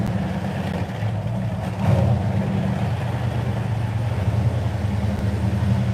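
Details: V8 started after cranking to prime fuel and oil pump, easy start: deep, steady burble with even low rumble, no misses or knocks; a healthy idle.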